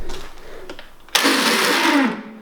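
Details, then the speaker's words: 1988 Dixon ZTR 311 zero-turn mower with Briggs & Stratton 11HP engine, won't start: a second-long rough whirring of the starter with no firing, then spin-down; the starter wants to crank but isn't turning the engine over; starter Bendix drive fault. "um yeah that doesn't sound good but at least the starter is wanting to crank i think it will fire if we can get the starter to go"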